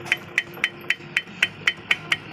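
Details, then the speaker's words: Yamaha Vixion motorcycle with sharp metallic clacks about four a second and no engine running. Free play at the rear end makes the chain rattle harshly over bumpy roads; fixable without replacing parts. "seperti ini. Jika motor melaju di jalan yang bergelombang, suaranya mengerikan sekali, kawan-kawan. Suara berisik dan berderak."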